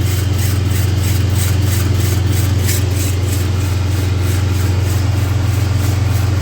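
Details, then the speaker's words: 2003 Dodge Ram 3500 after driveline service, long-sitting, running: steady drivetrain hum with light regular scraping tick following wheel rotation; brake rotor rubbing its backing plate. "you can hear the funny noise this brake rotor is just touching the backing plate over here"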